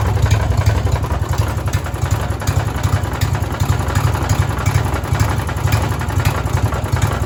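Small single running rough with a heavy, uneven knock about three per second in the bottom end, a connecting rod knocking.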